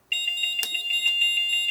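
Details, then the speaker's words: Moose Z1100e security panel in salesman's demo briefcase, smoke detector switch flipped: rapid, even high-pitched beeps about six per second at steady pitch; siren driver's fire zone alarm tone. "I'll show you what a fire zone sounds like so we'll flip the uh smoke detector switch over"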